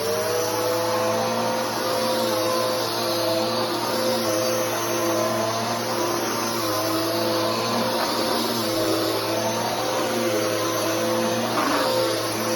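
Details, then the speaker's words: Bissell PowerForce Helix 3313 upright vacuum running: steady high motor whine with a faint fluttering hum underneath throughout, the noise of the drive belt. "and that noise is the belt"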